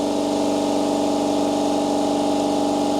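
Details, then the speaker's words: AEG Stealth Drive compressor, filling from 0 psi, mic about 150 mm from heads, 91 dB: steady electric hum with fast, even pumping pulse and constant tone; not significantly loud, pressure rising quickly, healthy. "You definitely talk over the top of it, so it's not significantly loud. Pressure seems to be coming up fairly quick too."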